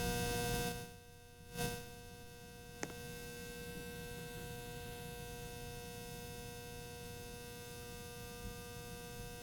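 A steady electrical hum with a clear fixed tone runs the whole time and never changes; the ceiling fan is humming loudly.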